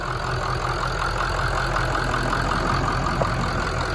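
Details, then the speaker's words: 2003 Ford F350 with swapped-in 2006 6.0 Powerstroke, first start after a hard start while the high-pressure oil pump built pressure: steady, quiet, even diesel clatter, no misses or rough pulses; normal idle. "go Hood sounds good she's quiet smooth it's been a while certain power stroke"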